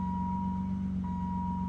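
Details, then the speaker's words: BMW E28 first start after a new fuel system and fuel cell were fitted: steady low hum with faint constant high whine, no stumble or ticking; smooth healthy idle, though a fuel leak was later spotted at a line above. "And I hear it humming. That's a win. So, I've had it here running for a bit and everything looks good. It's running pretty good."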